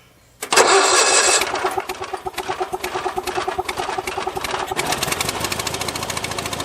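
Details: Mower that died while mowing, restarted on a weak battery: catches immediately and settles into a steady even single-cylinder putter of about three and a half beats a second; running normally.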